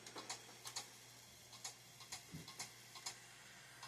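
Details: Old Compaq PC stored in a damp barn, rusty and dirty, first power-up: light, uneven clicking about twice a second over a faint hum as the hard drive clicks. Owner suspects the connection, cause unconfirmed.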